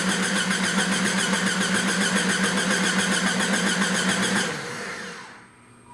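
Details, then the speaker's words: 1995 Jeep Grand Cherokee ZJ 4.0L cranking with the crankshaft position sensor unplugged during diagnosis of random stall and crank-no-start: steady starter cranking, about 210 beats a minute, with no firing, as expected. "Now is the time to remind ourselves that we unplugged the sensor. Yeah, I was gonna say, did you plug the sensor back in? So consequently, it's doing exactly what it should be doing, which is nothing."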